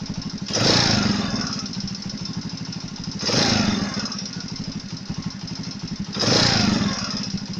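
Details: Alpha Chinese moped engine, warm: rapid, even light knock under idle, quickening with each throttle blip; quiet when cold, appears as it warms. Heated head enlarges camshaft bearing seats; found with stethoscope, fixed by copper foil shims under each bearing.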